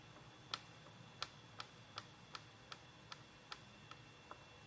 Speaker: this is this machine, I thought someone was standing in my bathroom with the door open making that kind of noise.